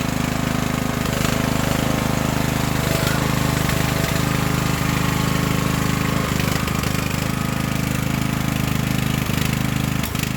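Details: Craftsman LT1000 riding mower after an engine swap, started on choke; small petrol engine settles into a fast, regular thump with no stumbling or misfire; swapped engine runs fine.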